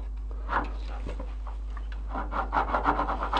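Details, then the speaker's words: Quad (ATV) gearbox shaft turned by hand with the gearbox opened, shift fork out: uneven rasping and scraping, runs really hard, from a rough, damaged ball bearing before bearing replacement. "läuft echt hart. Jo, das haben wir kaputt gemacht."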